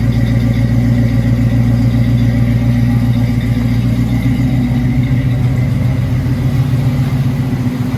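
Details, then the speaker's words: 1979 Chevrolet Camaro Z28 V8, Hurricane Ida flood car, first start after carburetor refit: deep, steady idle burble with regular firing pulses, no misses or knocks, exhaust dried out; healthy normal idle before oil change. "And there she be. Now we can get a little bit better idea of how well she runs. Looks like the exhaust has dried out."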